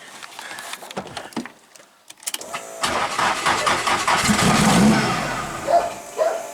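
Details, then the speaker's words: Nissan 180SX drift car cranking on brake cleaner, fuel pump audible but fuel pressure jumps up and drops quickly, won't hold: uneven cranking, brief catch and roar that dies; cranks but won't start, fuel starvation suspected. "slightly not getting any fuel but i can hear the pump i wonder if we've got any pressure"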